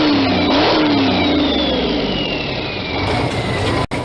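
High-revving diesel with a busy, rapid buzzing beat that eases smoothly as revs drop, running even and clean throughout.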